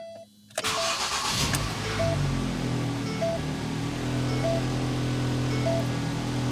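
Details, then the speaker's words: Ford Focus after repairing a locked-up AC compressor (new pulley, new belt, AC system refilled): quick crank catches at once and settles to an even, steady idle with no squeal or chirp; engine starts and stays running, belt drive healthy. "i just want to turn the engine on everything should be good to go so as long as the engine turns on and stays running it's done"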